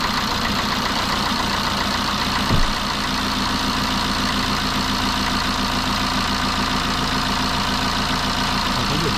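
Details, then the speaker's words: BMW 123d E81 N47 diesel idling after timing chain replacement: steady even idle, cicada buzz and sizzling gone, no rattle or chain slap, no warning light; normal idle. "je reprends à nouveau tout va très très bien plus de voyant plus de problème plus de bruit de cigale plus de bruit de grésillements"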